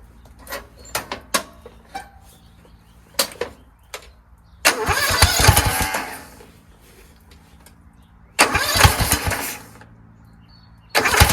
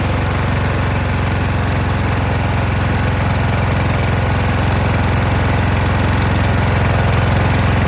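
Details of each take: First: Kohler Courage engine on a tractor, started on choke after a cylinder head swap, carburetor replacement and valve lash adjustment; it catches in short rough bursts and won't keep running, still the same as before. Owner suspects the throttle bracket and its return spring. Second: Kohler Courage engine on a tractor, after a donor-motor carburetor swap whose choke springs back by itself; started choked, winter, engine cover off. Strong, even chug around three pulses a second with no misses; runs well.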